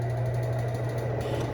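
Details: Two-year-old BLACK+DECKER BPW30MW 3 cu ft portable washer in spin after the inner drum was removed and loose screws were tightened: steady drum drone with a faint repeating thump, quieter than before but not cured; the clutch assembly and belt were later traced as the cause.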